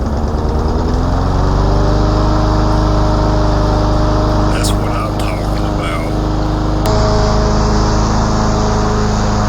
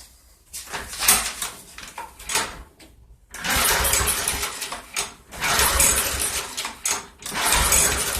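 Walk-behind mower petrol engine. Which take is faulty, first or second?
second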